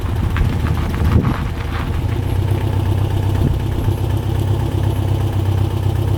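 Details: 1967 Volkswagen dune buggy, restarted after a first ride following a non-running purchase: even, throaty putter at idle with no knocks, misses or squeals; sounds smooth, good to go.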